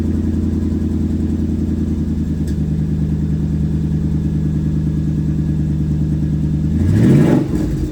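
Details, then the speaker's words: Loud, raw, deep rumble at idle that roars up on a throttle blip from a Toyota 100-Series Land Cruiser; the cats and muffler are rusted through and leaking badly, with nothing left to weld or patch. "Yeah, I don't think there is repairing or patching this, man. There's nothing to weld on. It's all rust."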